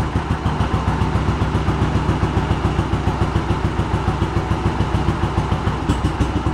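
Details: Yamaha Virago 1100 V-twin after carb rebuild, first start without choke: even, loping beat at about three and a half pulses a second, steady and clean with no misses; healthy idle.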